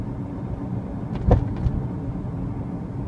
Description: Weird noise only my rear-right suspension is making